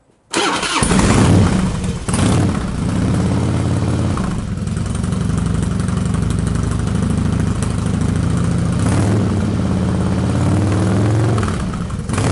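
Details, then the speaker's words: Cold start of a Harley Twin Cam, sat all day, enricher off, after rejetting the carburetor pilot jet from 48 to 50 to cure a lean condition: fires right up into a steady loping V-twin idle with no popping, stumbling or hunting; normal cold start. "okay this thing needs to be taken on a test ride but personally that sounded pretty well to me"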